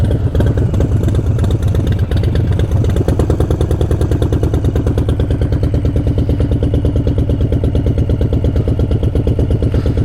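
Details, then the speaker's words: Harley-Davidson Breakout with 131 engine (M8) at idle: steady low clatter at about three knocks a second, sounding like engine knock; source not pinned down. "It's going to do it a lot quicker now, so let me let you guys hear it again. As you can hear, it kind of sounds like engine knock."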